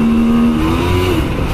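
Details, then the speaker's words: 2000 Honda Shadow 125 not run for two years, first ride: engine pulls steadily and evenly with no misfire over road noise; owner notes a noise, suspecting a dried-out bearing. "Mais pour un moteur qui n'a pas tourné depuis 2 ans, je suis assez content."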